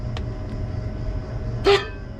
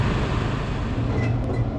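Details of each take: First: Worn condenser fan motor on a Crown reach-in bottle cooler condensing unit with a badly clogged condenser: steady low hum broken by a short loud squawk from a loose shaft when spun; motor to be replaced. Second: Reach-in bottle cooler condenser fan motor, earlier noisy, runs after repair with tie wraps added: a steady, even low hum with no rattle or scraping, and airflow restored. Normal operation.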